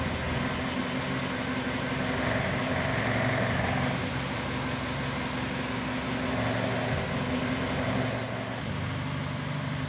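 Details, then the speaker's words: 1950 Land Rover Series 1 80-inch, rebuilt, old four-cylinder warming after about ten minutes' driving with a bit of choke; steady even idle, smooth low rumble, electric fuel pump ticking audibly, no knocks or misses. "so in the engine certainly getting warm so you can hear the fuel pump ticking a little bit right a bit of choke lovely"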